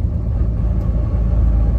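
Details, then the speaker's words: Truck, G56 gearbox with Valair HD organic single-disk clutch, lugging in fourth gear near 1100 rpm: deep uneven rumble and rattle, fading above 1200 rpm, quiet at 1500; gear rollover noise when lugging. "so if you lug the engine you get the rollover noise but if the engine's not lugging it's it's quiet"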